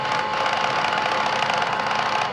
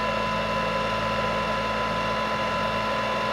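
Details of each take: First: Bosch Series 2 cordless vacuum, freshly cleaned, making a rapid steady clicking over the motor hum even with the brush head removed, so the fault seems to be in the motor unit; cause unconfirmed. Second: Bosch Readyy Series 2 cordless vacuum, previously clicking and grinding, after its slipped brush-drive belt was put back on: a clean, steady motor whine at one pitch with no clicking or grinding, winding down smoothly. Normal running.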